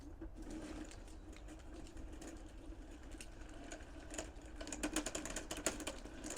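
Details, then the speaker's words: 1/6-scale Armortek Hetzer 24 V model tank, first road test on a patio: uneven ratcheting clicks and gear chatter under the drive whir as the loose track binds on the sprocket. The owner hopes removing a link to add track tension will fix it. "I can hear that sprocket binding"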